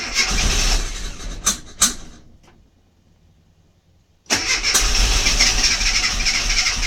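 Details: Mini MPI that won't fire up: starter cranks in bursts at roughly three compression beats a second, pauses, then cranks again, but the engine never catches and runs; cranks but no start.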